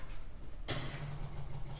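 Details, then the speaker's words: 1965 Austin Healey, neglected for years, in neutral with starter fluid sprayed: on the key a sudden steady high whir with no cranking beat. The starter seems to spin free without turning the engine. "all right that sounded like the star spinning free of the"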